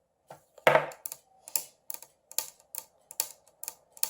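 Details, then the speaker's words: Dry crackling snaps, two or three a second, as the brittle thin plastic PCV hose on a 2007+ R56 MINI Cooper S turbo Prince engine is flexed, revealing a second split; cracked hose caused rough idle, stutter and stalling at low RPM. "Hear the cracking noise in that? That means there is another split in it."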